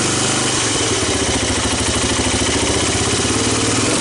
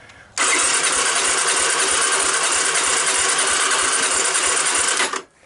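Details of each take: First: 1985 Honda ATC250ES Big Red three-wheeler, abandoned about 20 years with rodents, first start on starting fluid and fresh gas: steady, even single-cylinder thumping at a cold, choked idle, no knocks or misses; idle expected to come up. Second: 1985 Honda ATC250ES Big Red, abandoned 20 years and rodent-infested, on a jump pack with choke and starting fluid: the starter whirs about five seconds with an even quick beat but never catches.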